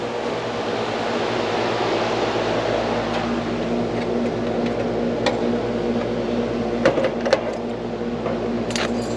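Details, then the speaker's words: Carrier AC outdoor unit on no-cool call, compressor restarted after rewiring to capacitor common: steady low hum with light clicks, drawing about 9.3 amps, suction line cooling; normal compressor running. "Fired up, see if the compressor start. Yep. Compressor started right on up. We're going about 9.3 amps. Suction line getting nice and cool."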